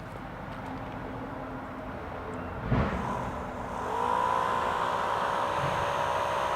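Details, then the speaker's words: Replacement 12 V fan motor for a 2004 Mini Cooper power steering pump, with thread locker and two washer spacers added so the blade clears the metal: after a knock it spins up to a smooth, steady whir, running normally. "that's pretty good at least it sounds like a fan and not a broken fan"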